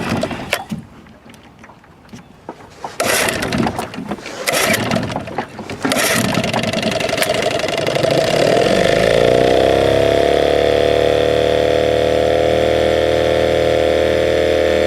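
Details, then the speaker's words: 1979 Johnson 6 hp outboard with low compression, head cleaned, started in the water after running fine in a test barrel: several failed pulls, then a steady buzzing run of about four beats a second; sounds like running on one cylinder. "yeah what it sounded like to me was it was running on one cylinder"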